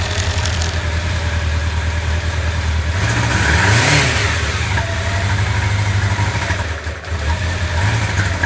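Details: 1995 Honda CB750 Nighthawk four-cylinder idling and revving unevenly on three cylinders; cylinder 4 is dead from a clogged carburetor jet.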